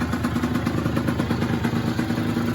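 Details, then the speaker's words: Yamaha DT50 two-stroke, stock cylinder, exhaust and carb with aftermarket air filter, after the idle screw was turned in half a turn: quick, even popping at tickover, steady with no hunting or misses; a clean, healthy idle. "just turn this little screw here just turn it in clockwise half a turn and now it runs and ticks over great"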